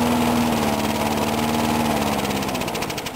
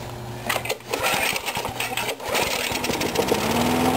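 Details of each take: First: Briggs & Stratton mower engine, cold start in 35°F weather after long sitting, water in the gas, carburetor primer only priming half; fast uneven beat then stumbles and fades; stalling from fuel starvation, owner suspects water in tank or primer. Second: Briggs & Stratton mower engine, cold 35°F, sat long with water in the gas; few rough catches then steady even drone with no misses; normal running.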